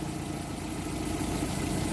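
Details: Engine warm after an engine flush and change to Zic X9 5W-40 synthetic oil and new filter: steady, even idle with no hydraulic lifter ticking from the top end; alternator bearing noted as needing replacement; normal warm idle.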